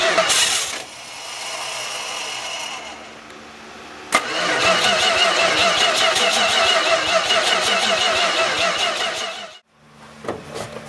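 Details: Dodge D200 truck, cranking with starting spray and the gas pedal pumped: steady cranking at about three turns a second, then a rougher burst that fades without running; fuel delivery suspected, crank, no start.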